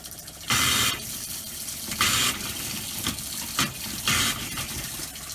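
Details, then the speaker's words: Motorhome habitation water system after installing new Shurflo pump, running the hot tap: flow breaks into irregular spitting gushes and hissy bursts every second or two; air still in hot line. "Bit of air in the hot one still. I'm going to run some through in the bathroom as well."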